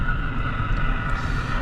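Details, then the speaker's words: Car driving on the road, the humming noise typically starting around 30–45 mph, picked up by a sensor at the front left wheel: a steady droning hum over road rumble. The source is the front left wheel bearing. "so there you have it that's their main source of the noise that number two transmitter which is located in the front and the front left wheel bearing see how the noise is all the way over here"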